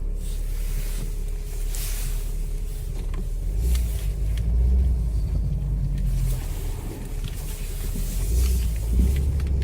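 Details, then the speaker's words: 2001 Chevrolet Optra driven slowly while turning the steering wheel: faint irregular clicking and screeching from the front suspension; suspected stabilizer bar link, strut or spring, unconfirmed. "So let's drive it and let's listen. You can hear the clicking sound when you turn the steering wheel."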